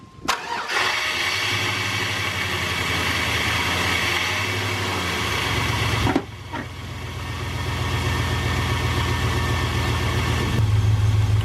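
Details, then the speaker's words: Engine with a dead cylinder cranks, catches and settles into an uneven lumpy idle with a rhythmic stumble; misfire, cause suspected, not confirmed. "Now since we're dealing with a dead cylinder situation, we can do like a process of elimination thing."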